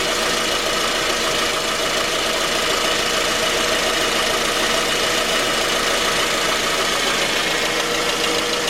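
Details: 2010 J20A engine, about 10,000 km, knock at cold idle: steady sharp knock at roughly three per second; valves, compression and oil pressure checked fine, later found to be a scored crankshaft journal on cylinder 3; short block replaced.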